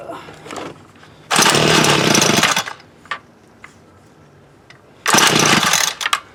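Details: Homelite UT33650A 26cc two-stroke trimmer, high and low carb screws reset to 1-2 turns out: two long rasping starter pulls, never fires; no-start, carburetor not drawing fuel or building pressure.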